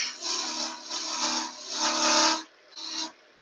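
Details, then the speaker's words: Woodturning on a lathe with the piece turned thin in the middle: rough scraping cut with buzzing chatter and a low hum. The thin-walled workpiece vibrates, which is not a concern. "you can hear it's just a vibration because we've gone thin in the middle nothing ready to worry about"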